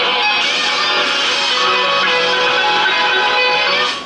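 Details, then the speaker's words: 1950 Sparton 141XX AM/FM tube radio after repairs including a 6AV6 tube swap, antenna connected: music plays clean and clear with no low drone underneath; the hum is gone. "No more hum. No more hum."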